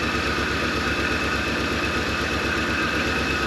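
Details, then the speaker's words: 1983 Ford Thunderbird Turbo Coupe, 2.3 L turbo, first run after 20 years sitting. Rough, lumpy idle with an uneven beat about twice a second and one cylinder not firing; misfire. "it is freaking off today this one's not too happy it usually almost might be missing a little bit"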